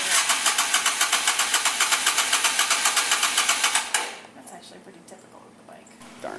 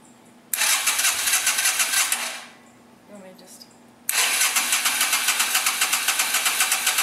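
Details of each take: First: 2007 Yamaha Virago 250 after carburetor cleanout and fresh fuel: with a little choke it runs with quick, even pulsing about four beats a second for four seconds, then drops away; running on choke, much better. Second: 2007 Yamaha Virago 250 after a carburettor cleanout, tank drained and refilled with new fuel: the starter grinds at about three or four pulses a second, stops, and cranks again without catching; choke was tried next.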